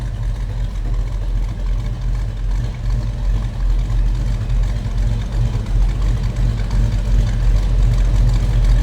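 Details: 1936 Ford Deluxe Tudor street rod, 350 V8 with TH350 automatic, at idle: a deep, steady V8 burble with an even beat and no ticks, knocks or misses; a healthy-sounding engine.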